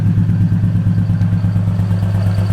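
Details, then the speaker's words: Infiniti G35 VQ V6 with test pipes fitted: loud, low idle with a chuffing pulse on every firing beat; exhaust leak, suspected at the flex joint, not yet confirmed. "we're still going to go through that exhaust leak is freaking ridiculous like where's it coming from i think it's coming from that freaking flex joint man"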